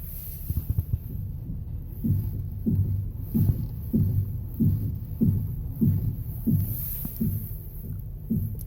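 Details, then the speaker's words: Ford Explorer (2011–2019) at a standstill before repair: dull, regular clunks, about one and a half a second, as the steering wheel is turned. The cause is debris in the front strut mount bearing from unpaved roads. "지금 핸들을 돌릴 때마다 덜컹덜컹 클렁크 소리가 납니다."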